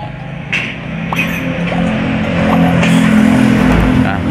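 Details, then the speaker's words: Honda Beat FI scooter with total electrical failure, no electric or kick start, checked at relays and fuses: kick thumps, then the engine catches to a steady, slightly uneven idle; it starts but only with difficulty. "teman-teman motor ini bisa hidup ya walaupun agak susah ya apalagi kalau yang punya ini cewek misalnya itu susah sekali"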